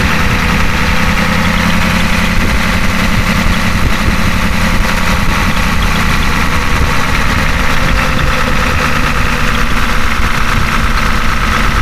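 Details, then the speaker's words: Ford F250 6.9 IDI diesel after injection pump replacement, started in neutral via jumper: steady even idle clatter, deep rumble, no misses, running normally; slight surge noted, possibly needing more fuel cycles. "and there you go it's all running like normal just the way it should idle it down and a little bit of a surge issue right now"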